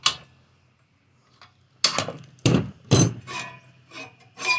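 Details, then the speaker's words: Scotts reel mower with the reel-to-bedknife clearance adjusted using 11 mm bolts. When spun, light irregular ticking as the blades just barely touch all the way around, catching at one spot. Correctly adjusted. "It catches one spot there, but it's mostly, you can hear the two sides catching. You can hear it just barely touching all the way around."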